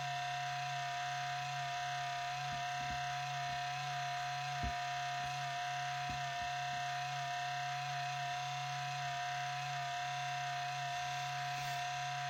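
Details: 4-year-old HP Pavilion 15-209tx laptop (i7-5500U, GeForce 840M, 1TB HDD), at boot since cleaning a month ago: steady high-pitched whine with low hum and faint clicks, louder and longer than before, eventually quietens; cause unknown.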